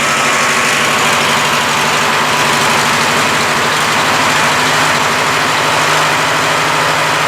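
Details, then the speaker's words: Craftsman LT1000 lawn tractor, Briggs opposed twin 19.5 hp, after draining water-contaminated gas, changing fuel filter and blowing out the carburetor: steady, even fast-beat low idle with no misses or surging; runs well. "so that's it engines running now runs pretty well this is low idle right now I mean it's fast but it's not like really fast you know it'"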